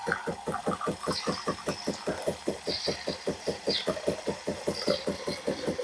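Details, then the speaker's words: Saeco Xelsis SM7680/00 after replacing two of four solenoid valves for milk splashing: quick steady pulsing, about five beats a second, with light hiss; milk frothing now works normally. "to wszystko działa mleko coś tu skwierczy ale to z grzałki schodzi ciśnienie mogłem też pochlapać"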